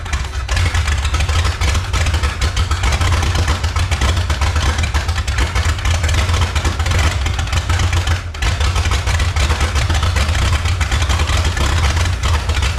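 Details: 1954 Chrysler New Yorker 331 Hemi V8, over 50 years in a salvage yard, on about a 5 psi pump with no regulator: heavy rumble lopes and stumbles unevenly at idle; carburetor pouring fuel, tune-up needed.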